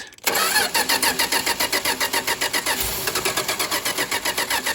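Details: 1962 Dodge Lancer revival, after carburettor overhaul and points work, ran well the previous day: steady starter cranking with an uneven chug of about three and a half beats a second for five seconds, no cylinder catching; ignition suspected.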